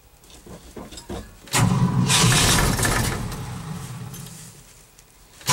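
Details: Cold start after an overnight low of -11 and 0 at start: long, uneven cranking bursts fading between attempts, and the engine never fires; the owner thinks he flooded it and the battery may be weak.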